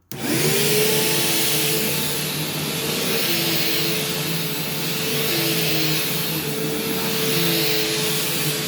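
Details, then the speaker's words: Bypass-motor vacuum, belt just replaced, on a test run: a loud, steady motor whine with a strong airy rush at an even pitch. It cleans well and is fully working, just a loud machine, not defective. "so this thing does work and it has cleaned pretty well but it's very loud and it doesn't seem loud in like a defective sense it actually does seem like it's fully working these are just loud machines"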